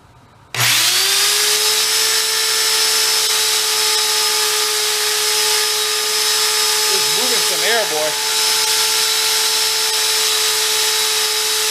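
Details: Hoover Elite carpet shampooer motor, discarded as smoked, bench-run: snaps up to speed and holds a clean steady high whine with even airflow rush, no grinding or rattle; bearings sound healthy.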